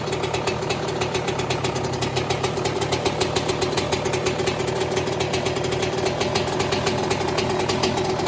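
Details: 2002 Yamaha YZ125 two-stroke after top end rebuild for failed rings, first startup: rapid, crisp, even crackle at a steady fast idle, no rattle or misfire; fresh top end runs well.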